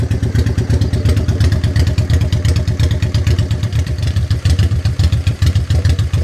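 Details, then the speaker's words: 1985 Honda Shadow 500 at idle during a DIY twin-carburettor sync with an oil/vacuum gauge that favours one side: a lumpy idle with uneven thumps, one cylinder pulling harder. Carbs are out of sync and the adjusting screw is to be tightened. "wrench is favoring one side so we've got to go ahead and adjust our screw"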